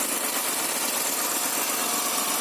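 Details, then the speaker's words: 2003 Honda Accord V6 whose VTEC hasn't engaged since it was acquired, heard under the hood with no coolant leaks seen. A soft, even hum with a light hiss and no ticks or stumbles: the engine idles smoothly. "So far everything seems good under the hood. I can't really see any water leaking out of the coolant system, and it's idling smooth."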